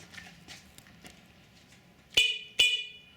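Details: Electric scooter horn tested after hooking up lights, horn and brake light to a Qiewa Q-Power controller: two short, sharp, high-pitched toots over faint clicking; the horn works properly.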